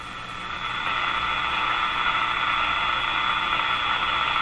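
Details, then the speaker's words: Moffat (Crosley) G2465 five-tube radio powered up at about 91 volts: there is a steady hiss and hum and buzz while the dial is swept with no clear station; the cause is not yet found. "well okay so what this proves is an awful lot again it's humming and buzzing"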